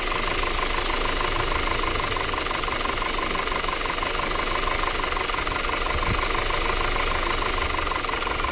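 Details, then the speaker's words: 2013 Audi Q5 2.0L with check engine light, rough running and misfire, codes for fuel pressure too high and charger under boost; rough idle with fast regular ticking from a dead cylinder, borescope shows a hole through a burnt valve, no compression. "see right there there's a hole right through the valve right there look at that so that's why we have no compression"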